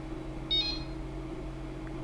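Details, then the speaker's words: Anycubic Mega-S 3D printer with TMC2208 drivers just after flashing custom Marlin firmware: brief high chirp over low electronics hum, startup jingle retained but less annoying than before. "that's new. They now didn't delete the jingle, but it's less annoying, so that's also pretty good."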